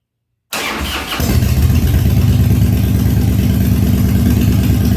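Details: 1997 Harley-Davidson Fatboy after carb cleaning, new gaskets and parts, new spark plugs and new battery, cold start at 70°F and humid on full choke: short crank, then steady, loping low thump with no misses; clean start.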